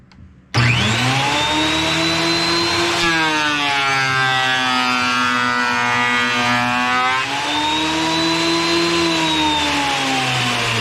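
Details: Wood planer after replacing its drive sprocket, with old, worn blades (a new set is planned): the motor whine drops and warbles as a board feeds through, then recovers; clean cut. Normal planer cutting.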